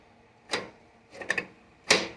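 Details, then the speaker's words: 1973/74 MTD 990 lawn tractor with a Briggs Big Block engine, Flo-Jet carburetor being rebuilt: three or four sharp light clicks as the choke plate snaps open and shut. This confirms the choke is working. "see the Chuck there it is you can hear it opening and closing and look down here to verify it's working"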